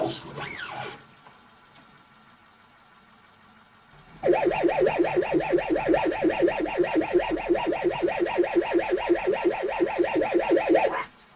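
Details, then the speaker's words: ZX Spectrum 128 +2 built-in cassette drive loading a tape: warbling tones pulse about three times a second instead of the steady loading screech; abnormal loading sound, drive not reading properly. "but you can hear when the tape is playing it doesn't sound like a normal cassette tape loading one of these old 8-bit machines"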